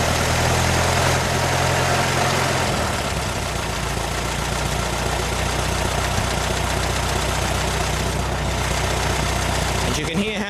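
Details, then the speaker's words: 1925 Ford Model T four-cylinder, hand-cranked and started with spark retarded: after advancing the spark to correct the timing it settles into an even, steady idle with a regular beat, no misses or knocks, running smoothly. "much better the engine runs once you've Advanced the spark and got the timing correct"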